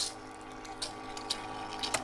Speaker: when you hear the pump gurgling it means that you're running out of water and it's time to be done